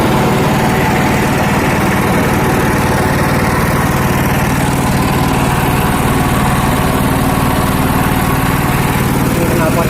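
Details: Honda GX240 petrol stationary engine, hard to start after days unused, now restarted and running without its muffler: loud, even single-cylinder putter with a steady beat and no misses; runs normally, sounding harsh.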